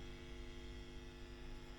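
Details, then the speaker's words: WEM Musette Mk 2 valve amp (a Dominator Mk 3 with a different speaker): steady low buzzy hum. With the inputs grounded it persists, so it isn't from the inputs; the amp is just noisy, with microphonic Mullard preamp tubes suspected. "it's just a very noisy noisy amp so it's not coming from the inputs"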